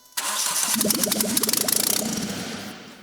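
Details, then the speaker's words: Renault Clio 172 with newly installed engine, running with no exhaust and no intake system: short crank then immediate catch, sharp unmuffled rev-up and wind-down; quick normal start, healthy. "just like that yep just like just like that mind we have no exhaust on it we have no induction like with no intake system we have nothing it runs"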